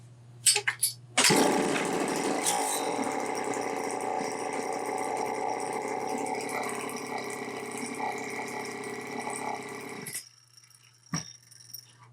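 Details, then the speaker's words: Homelite XL-903 chainsaw after clearing three fuel restriction points and carburetor repair, restarted without throttle: steady crisp buzzing idle, no stumbling or surging, revs out good, governor working; normal idle and rev-out. "It'll start and idle like that. It doesn't have enough restriction to be a problem, and it's revving out good. Governor's working."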